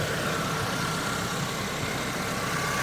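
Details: 2006 Honda Civic with a freshly installed engine, first run, warming up toward proper idle rpm with a tiny leak being watched: steady, even idle with no knocks, ticks or misses, just a smooth hum; normal idle.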